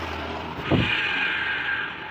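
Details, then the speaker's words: Honda Scoopy with loss of power (about 20 km/h uphill) and a "rud rud" grind from the CVT at 30 km/h. The removed pulley's needle bearing, spun by hand, gives a thin whine with a rough rasp. Worn needle bearing. "Nah, lihat? Terdengar suara rengekan. Terdengar suara rengekan."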